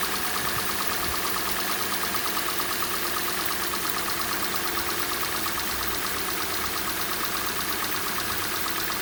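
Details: Hyundai/Kia G4NA engine at cold idle: light, fast metallic ticking knock about three times a second over a steady idle, fading as the engine warms; cause unknown, owner asking for advice.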